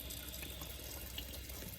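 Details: LG dishwasher after drain pump cleared of a stuck bead and intake pipe leak sealed with a rubber ring: soft steady water rush with low pump hum, no grinding or rattling; pump running normally.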